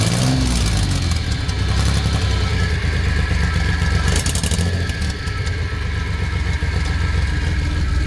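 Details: Suzuki F6A three-cylinder revving up and down with a harsh, blatty exhaust note and some clatter; abnormal exhaust noise, source still being searched for.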